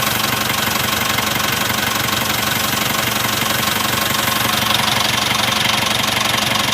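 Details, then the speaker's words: Mitsubishi engine running: light, quick, even ticking around 140 per minute; stretched, slapping balancer belt. "صوت كيت كيت كيت كيت. شوف بالانسر بيلد برا مافي كويس."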